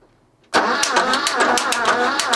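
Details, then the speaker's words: Barn-find BMW E12 M535i, untouched 30 years, cranking: a fast, sharp ticking clatter from the top end. Valves are suspected dry and sticking, with the rocker moving while the valve lags and the spring smacks the rocker. "it felt more like The Rocker was moving and then the spring was following it right smacking up the back of the rocker right I'm just wondering this is just purely lubrication that the valve's just a little bit sticky"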